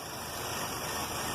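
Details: 2012 Chevy Cruze Eco 1.4L turbo with check engine light and code P0171, system lean bank 1. Steady mid-pitched idle with a faint uneven, hunting note underneath; rough idle from an intake vacuum leak.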